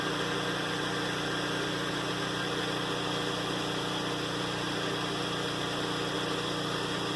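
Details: Flotec shallow well jet pump, newly installed and powered by a generator: an even motor hum with a constant tone and hiss and no knocks or surging while it builds water pressure; running normally.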